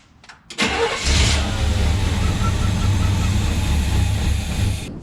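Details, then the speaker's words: Suburban that sat five years, after adding about 8–9 gallons to a bone-dry tank, cranked with a little throttle: it catches and runs roughly a few seconds, then dies. The pump pulls suction at the carb line but fuel isn't getting from the tank; suspected gummed-up pickup tube. "Well, the Suburban beat us. Seems like we just can't get fuel to the carburetor."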